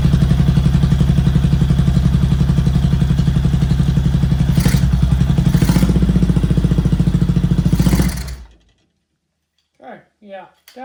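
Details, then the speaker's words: 1979 Honda CX500 V-twin, after replacing missing hardware and installing the throttle sleeve: deep heavy thump about three beats a second that sags and chokes out within eight seconds; rough running, suspected rich mixture (drowning in fuel) and carbs. "it sounded like it was drowning and a little bit there once I don't know try to fire it up again"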